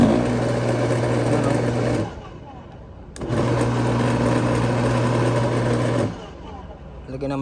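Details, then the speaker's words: Bosch AXT 2200 garden shredder, long in storage, on test: the motor spins up about two seconds, cuts out, restarts and dies again, running only while the switch is held; the switch is blamed and cleaned with contact cleaner. "oy mandar kailangan pang i-hold mo bago siya umandar dapat isang switch lang dito"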